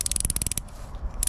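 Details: Blue Spot 24mm ratchet spanner, recorded outside away from workshop noise: crisp sharp clicks roughly ten per second, short pause, then more; pawl catching cleanly, ratchet working normally.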